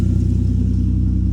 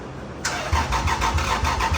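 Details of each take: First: Lexus IS300 right after engine swap, running with no exhaust fitted: loud, steady low idle with an even unbroken pulse, no misses, knocks or ticks, no check engine light; normal idle. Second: Lexus IS300 after an engine swap: the starter spins the engine with even compression beats about three a second, but it never fires; EWS immobilizer suspected of blocking fuel and spark.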